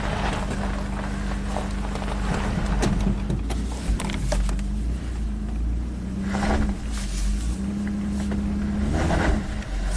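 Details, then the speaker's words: 1998 Mitsubishi Montero Sport driving on gravel after timing belt repair (loose belt had let timing jump): deep, even drone pulling steadily under load with faint low hum and gravel noise, no knock or misfire; more power, healthy. "Definitely more power. Gonna do burnout, at least on the gravel."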